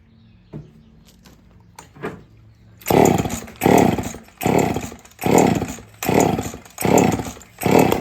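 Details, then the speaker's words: Two-stroke chainsaw on the bench with a fuel leak, carb icing when run long: blipped hard about once a second, each rev climbing cleanly and dropping back with no stumble; runs healthy. "I had it running yesterday and it's it's sounding really good on the bench, but it it picked up a fuel leak."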